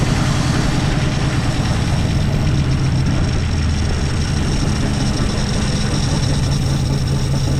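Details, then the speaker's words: 1963 Plymouth Belvedere sitting since 1978, fuel now reaching filter: rough, lumpy low rumble with uneven firing as it staggers to life running rich, way too much fuel. Flooded engine. "We might have to help it out a little bit. Way too much fuel."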